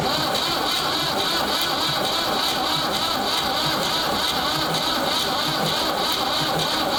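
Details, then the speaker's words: Ford 3600 tractor after a second CAV injector pump rebuild, fuel reaching the second injector: the starter whirs with a labouring beat that slows as the battery fades; weak battery, no start, battery put on the charger. "wow okay as you can hear she's slowing down i'm gonna put it on the charger"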